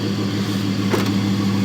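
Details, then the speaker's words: Jeep 4.7 V8 dead cold start at about 12°F, AMSOIL oil, new battery: quiet even idle with no lifter clatter, only a faint steady hum from the power steering pump, which barely works anymore and needs replacing. "The only thing you can hear is the power steering pump, which the power steering doesn't really work anymore. I need to replace the pump."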